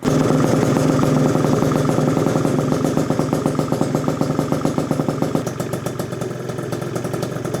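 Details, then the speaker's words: Gilera Runner 172cc two-stroke (PM Tuning fresh-built Piaggio engine), after plumbing radiator and fuel lines; fast even crackling putter settling into steady, slightly lumpy idle, barely revved, no knocks or rattles; deep gnarly 172 sound, healthy engine. "172 engine has a specific deep sound to it, and it sounds gnarly."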